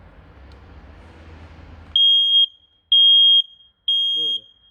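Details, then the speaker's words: Smoke detector in use since 2010 (14 years old), powered via adapter instead of batteries, test button pressed; three piercing high beeps about once a second, strong loud test tone, still working well. "böyle böyle uyor harika yani bunla uyanmamak mümkün değil Yani bu test yani test ötüşüyle yani 14 sene geçmiş 14 senedir cihaz halen Acayip güzel çalışıyor"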